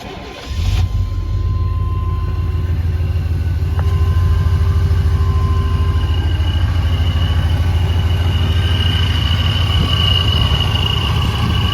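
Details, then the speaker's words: One-owner 1998 GMC Sierra SLE 2500HD 4x4, 76,000 miles, cold start: fires into steady idle with thin high whine that quiets down; first suspected another noise, checked as normal supercharger sound, not an issue. "that's the uh the sound that that supercharger has made uh SS do you hear it kind of quiet down as it driv but that's not an issue"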